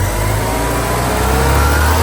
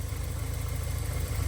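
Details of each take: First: 1984 Porsche 944 petrol engine starts and idles perfectly but stumbles and breaks up when revved, unable to rev past about 2200 rpm despite swapping fuel pump, airflow meter, computer and fuel pressure regulator. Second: 1984 Porsche 944 after the running fault was fixed by pulling up some wires: a low, steady idle with an even beat and no knocks, stumbles or hunting; it sounds healthy.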